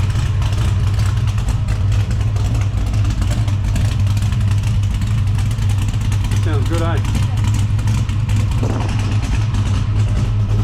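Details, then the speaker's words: Holden HT Monaro V8 after diagnosing and replacing a faulty MSD ignition module, thermo fans on: deep, steady burble with an even beat and no misses or knocks. Normal idle. "well I must say I'm very pleased with that that sounds mint"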